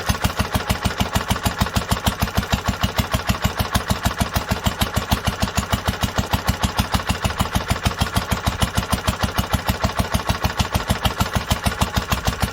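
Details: 1946 International Harvester LBB 3-5 hp water-cooled engine on first cold start after sitting a long time covered, choked twice before starting; slow even chuffing about ninety-eight firings a minute, steady and unhurried: normal healthy running.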